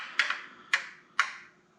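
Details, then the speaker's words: Off-road buggy with Mopar 5.9 (360) Magnum V8, engine off and not heated up: three sharp isolated ticks about half a second apart; owner suspects lifters bleeding down near the cam area, origin unknown. "hearing a weird ticking sound from any engine power's off it's not like it heated up and it's cooling down lifters pumping down maybe I do not know if anyone has any idea what that might be"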